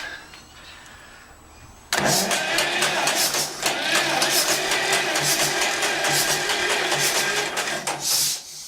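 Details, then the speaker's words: 1945 John Deere Model A tractor, first start after minor repair, then throttle raised a little: quiet at first, then it catches and settles into a steady, loping pop-pop beat; runs cleanly, normal running. "Okay, she runs. That's good. Let's bring her up to speed a little bit. A little more gas."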